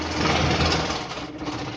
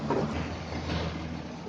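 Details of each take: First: New air cooler fan with an unbalanced blade: loud fast buzzing and flapping rattle over a steady hum, with heavy vibration that loads the motor bearing and shaft and risks early motor failure. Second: New air cooler after balancing its fan blade: steady, even fan hum with no flapping or rumble; normal smooth running after the vibration fix.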